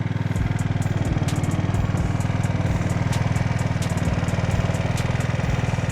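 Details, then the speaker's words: Scooter idling smoothly after carb cleaning, gum removal, fuel tank flush, mixture screw cap removed and idle adjusted: small two-stroke ticks over evenly with steady, regular firing and no hunting; healthy idle. "Alrighty. Well, we got her running, and it is idling so smooth."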